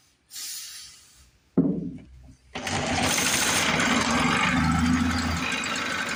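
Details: 1950s Lawn-Boy bricktop two-stroke with low compression, points cleaned; carburetor apparently not feeding fuel, running on carb cleaner: failed catches then rough, uneven running; owner suspects carb needs pulling.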